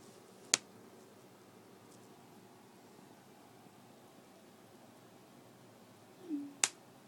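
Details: 9-month-old MacBook Pro: two sharp, crisp clicks about six seconds apart as the lid is opened or closed, in a quiet room; the owner asks whether this is normal.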